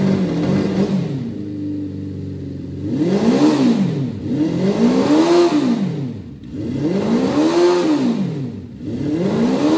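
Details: Honda 400 Four inline-four after valve clearances set by feeler gauge, before ignition timing set: revs up and down smoothly in repeated blips, pitch climbing and falling cleanly with no ticking or clatter; healthy.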